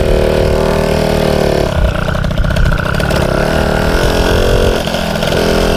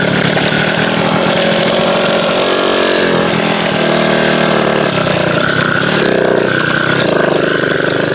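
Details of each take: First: MBK 51 two-stroke moped, after opening the mixture screw slightly because it may have been running too lean: buzzy steady run, picking up cleanly on small throttle blips without stumbling; running right. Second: MBK 51 two-stroke moped: a ragged buzz catches, stumbles and fades, struggling to start and keep running; owner suspects a slightly lean mixture and plans to open the mixture screw.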